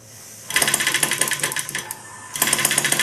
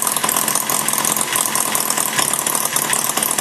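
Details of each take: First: Maier TA4 model engine on gas during tuneup, mixture set slightly rich: fast sharp ticking firing pulses run unevenly and briefly drop out before picking back up. It fires on most revolutions; intermittent firing. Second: Maier TA4 small model engine after tune-up and carb cleaning, warmed up with a little load on the flywheel: a fast, even firing buzz holding steady with no misses or knocks; running smooth.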